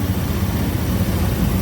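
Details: Honda Scoopy FI scooter after starter/generator magnet repair: steady low even putter at idle, no misses or rattles; idles smoothly.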